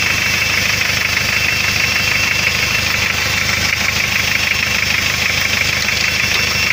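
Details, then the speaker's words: Hyundai 2.5 TDI diesel at idle: a regular knock of about two per second over the clatter, absent when cold and like a loose-clearance valve. Removing the sump showed spun con-rod bearings on cylinder 3; the turbo is blamed. "начинается появляться легкий стук как будто стучит клапан с увеличенным зазором"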